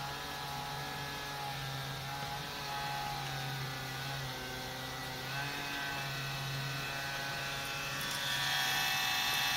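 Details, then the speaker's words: Compaq PC with an FSP power supply, at power-on: the power-supply fan gives a steady buzzing rattle with a thin whir and vibrates heavily. Dry fan bearings are the cause; the fix is to oil the bearings or replace the fan, though the noise may clear after a few minutes. "know what's happening is the the fan the bearings and the fan is getting dry and gonna have to lube them get some oil in there"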